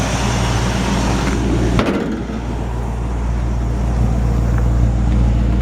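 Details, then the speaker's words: Old Ford truck with 302 V8 and C4 automatic, at idle under the hood: deep even rumble, no puffing or ticking; clean healthy engine, no exhaust leaks. "nice sounding engine clean and healthy no smoke pop the hood real quick and let you just hear how clean it sounds under the hoods nice no exhaust leaks or"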